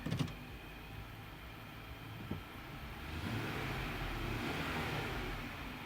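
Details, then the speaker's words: Infiniti QX80 after throttle body and mass air flow sensor cleaning, shifted into gear: a light thump, then a quiet, smooth low hum settling evenly with no stumble or hunting. Runs fine. "Nice and smooth, hardly any vibration. Nice and smooth. The RPM needle doesn't budge. Put it into gear."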